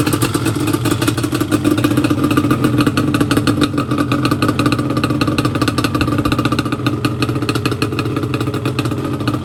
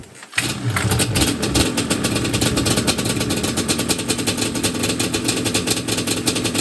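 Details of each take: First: Yamaha Banshee two-stroke twin after a carb clean and rebuild, with the idle screws lowered about one turn each side: fast, crisp, even popping with no stumble or surge, a balanced, healthy idle. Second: Yamaha Banshee two-stroke twin just after a carb clean and rebuild, on fresh 93 octane with choke out and not in gear: fires right up, then a brisk patter idling slightly high. Air screws are 1 turn out and the idle screws need lowering.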